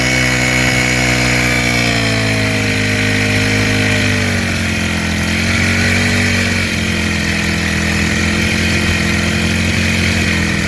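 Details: Freshly rebuilt small four-stroke engine (valves checked, carburetor fitted), new engine being run in after carburetor fuel tuning: smooth, even buzz that climbs and settles cleanly with gentle throttle, no misses or stumbles; normal running.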